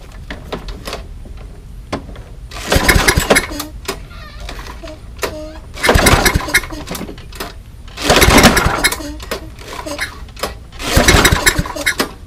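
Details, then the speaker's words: Old, abused Toro Recycler 20017 mower with a Tecumseh engine, fitted with a temporary makeshift gasket. Repeated rough pull-cord attempts; the engine coughs but never catches. The owner suspects the gasket leaks or blocks the intake; the cylinder is badly scored. "that is probably why it's not starting the makeshift gasket is you this cylinder is kind of finished like that's really rough"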